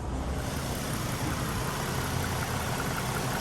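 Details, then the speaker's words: 2015 Mustang V6 with newly installed BBK stainless shorty headers, aftermarket intake, stock exhaust with cats, first start after install: steady even idle, smooth low rumble, no ticking or puffing at headers; no exhaust leaks, normal idle. "no exhaust leaks i don't hear any exhaust leaks which is perfect"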